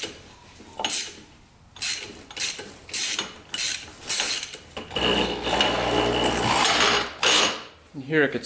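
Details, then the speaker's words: 1987 Yamaha Warrior 350 engine turned by hand with the cam chain cover off: slow uneven clicks and a dry crack, then it sticks at one point. The engine binds; the cause is unknown, and it spun freely earlier with the spark plug out. "So let's rotate this engine around and just see where it gets stuck. You hear it kind of crack in there."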